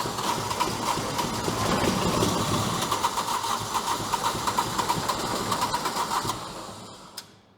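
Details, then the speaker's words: Sky Trak small diesel listed inoperable, started cold after 10-second glow plug preheat; even diesel clatter holding a steady beat before winding down; runs about perfect, may need belt dressing or belts tightened; normal running. "sounds like it runs about perfect to me it might could use a little bit of belt dressing or couple of the belts tightened up or something"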